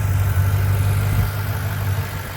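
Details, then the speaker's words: 2009 Mustang GT 4.6 V8 after cam, lifter and phaser work: steady, even idle with only loud fast injector ticking; no more lifter tap, valvetrain healthy. "which is I can hear there's no more lifter tap all you hear is just the uh injectors the loud injectors on these engines which they are pretty loud"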